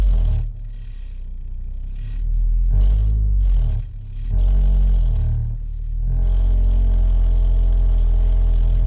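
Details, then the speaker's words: 2014 Ford Escape (engine unknown), customer feared a transmission problem over noise reversing and turning; accelerating forward: deep rough droning rumble swelling with each throttle push, engine shaking against the body; broken engine mount. "You hear that? It's kind of like a rough sensation."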